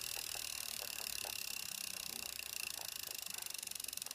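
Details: New 2016 Wahoo Kickr trainer: fast even clicking and light rubbing noise from the belt while spinning; owner asks if normal.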